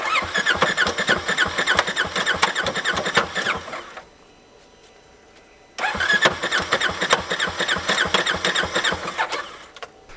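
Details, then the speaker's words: Polaris RZR XP Turbo with an unknown history, battery charged, snorkels tipped so rain could enter the airbox or clutch case: on the start attempt it cranks and fires rough with heavy knocking and a clunk; owner suspects a blown piston or rod. "well as you just heard it's got a clunk i'm i think i got i think we got a blown piston or rod or etc"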